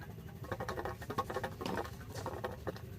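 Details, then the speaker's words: MGB off the road 28 years: electric fuel pump keeps ticking quickly and steadily, not slowing or struggling, but no fuel reaches the outlet; noise change suggests pickup blocked in tank, to be blown through with airline. "pump's still pumping away as if it's doing all right it's not um slowed down like it's struggling but we just not getting anything through this end"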